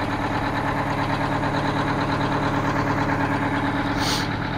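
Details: Aerodyne cabover truck with Detroit diesel, started after sitting 27 years, idling to warm up: steady, even, low muffled rumble with no knocks or misses, quiet with mufflers fitted; normal idle.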